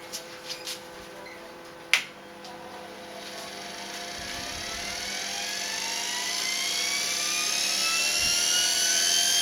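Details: Uncovered motor, covers stripped off, set to match the lathe's 1170 rpm: clear high-pitched whine climbing in pitch as it spins up, then holding steady; about as noisy as the lathe motor.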